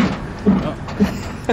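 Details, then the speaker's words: Vehicle on a lift during a VW tech session, steering worked by hand: dull single clunks about every half second. Suspected loose shock or badly worn bushing. "got a loose shock really bad bushing or something hear it"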